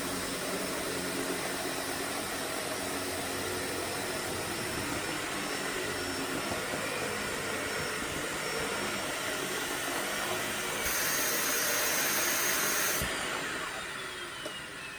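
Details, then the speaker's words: Sebo K3 Premium vacuum after a heavy pet-fur pickup test: a constant, airy, strained, choked motor roar with little change in pitch, with the dust bag completely full. "I have a feeling that bag is now completely full yes it is"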